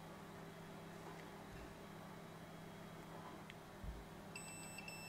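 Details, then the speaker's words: Multimeter continuity test on wires of a clone GM Tech2 CANdi interface module cable: quiet, then steady high beep as probes touch; the wire has continuity. "you can use a Multimeter on a continuity test right where you get a tone and if you got a hard fault you can go through all these wires and tone them out to confirm that you've got you know a bad harness here"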